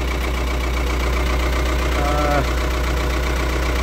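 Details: Ford 6610 Force II diesel tractor after a Mahle geared starter upgrade, started without the excess-fuel button or manifold heater. An even, steady idle with a regular firing beat and no misses or knocks. Normal.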